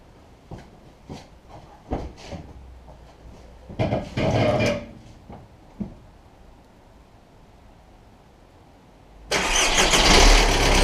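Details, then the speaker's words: VW Golf/Jetta Mk4 1.9 TDI diesel, started after oil and filter change with 4.5 liters added, car back on ground; clicks and handling noise, then cranks, catches and runs loud and even; normal start. "So with the car back on the ground, I'm gonna start it up, run it for a little bit, check the oil, off we go."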